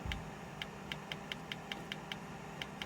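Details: Nespresso Aguila 220 (Thermoplan) commercial pod machine that won't foam milk: the rinse valve clicks sharply about every third of a second over a low hum instead of holding open. The board is suspected of not supplying enough power; the wiring shows no burning.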